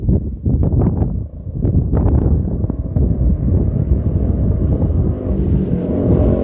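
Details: Bike with an aftermarket pipe making passes by the camera in a canyon. Sharp irregular .22-gunshot-like cracks sound over the wind rush as the throttle closes. Exhaust backfire on deceleration, which the rider blames on the baffle.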